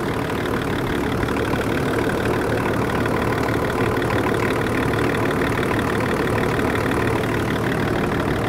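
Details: 24-year-old Range Rover P38 diesel, abandoned five years, jump-started and idling to warm up to thermostat temperature while bleeding air from the coolant system: steady, even diesel clatter at idle, no misses, knocks or hunting; idling smoothly and healthy.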